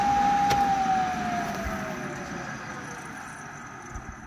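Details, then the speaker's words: Flexit C2 ventilation unit in cold attic, exhaust fan: falling whine as fan coasts down after power-off, with dry rustling underneath that lingers; worn exhaust fan bearings, heard through the combi unit; supply fan silent, bearings to be replaced. "but you can hear a clear bearing noise from there through the combi unit, so let's go and see what can be done about it."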